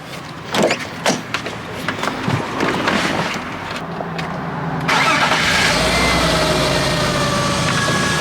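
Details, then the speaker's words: BMW E36 328i convertible after new spark plugs, previously rough startup: after some rattling the engine catches and settles into a steady, even idle with no misfire stumble; smoother than before, normal idle. "so i mean it only ran for a minute before but it definitely sounds a lot better um it already sounds smoother"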